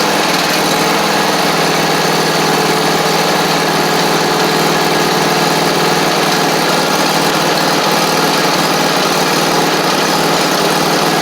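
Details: Free John Deere D140 riding mower being revived (it had been parked for blowing fuses), restarted after the valves were adjusted: it starts easily and the small single-cylinder engine holds a steady, even speed with no stumbling or ticking. Normal running.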